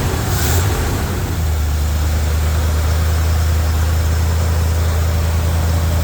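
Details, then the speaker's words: First start of a classic truck's V8 under its own power after repairs, late on a cold night. It has a deep, steady, even idle with no knocks or misses and sounds healthy. Warmed to operating temp, but the temp gauge isn't working; smoke appeared later. "all right as y'all can see it ran it idled it sounded really really good"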